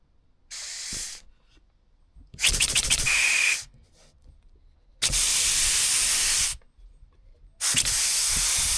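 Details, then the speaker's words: Scratch-built Wig Wag oscillating steam engine on compressed air, earlier recording: separate 1–1.5 s air hiss bursts with silent gaps, no steady beat, keeps stalling; cylinder binding, apparently from slightly skewed pivot, wear marks on one corner. "Um here's a couple of clips of it struggling to run uh or from uh the previous recording."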